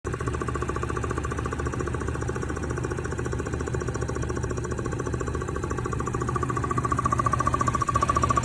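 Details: Engine running after a chain guide job: a dull, repeating thump about three to four times a second pounds under the engine; cause not yet found; engine thumping noise.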